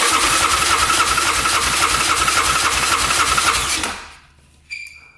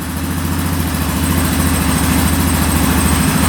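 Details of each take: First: 2009 Yamaha Grizzly 550 EFI ATV, compression test with the throttle open; steady, even cranking reads only 80 PSI, which is low, though a decompression mechanism may account for it. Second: 2009 Yamaha Grizzly 550 EFI ATV after fixing loose wiring and an intermittent fuel pump: smooth, even single-cylinder idle with no misses or knocks, not idling up; engine light on, air box off.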